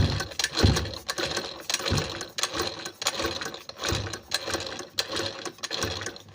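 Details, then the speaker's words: Sewing machine, face plate removed, run at speed: sharp tak-tak ticking about a stroke and a half per second in time with stitching, needle touching and rubbing the shuttle; removing needle stops it. Needle striking shuttle. "कभी-कभी क्या होता है कि यहां पे यह जो needle है नीडल यह टच करता है सेटल में यह लड़ के चलता है इसकी वजह से भी आपकी मशीन टक टक से आवाज करती है"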